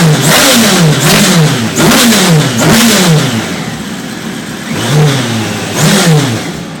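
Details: Radical SR3 1500 on a dyno, revving hard under load with uneven dips and stumbles in the note; an odd misfire whose cause isn't clear yet.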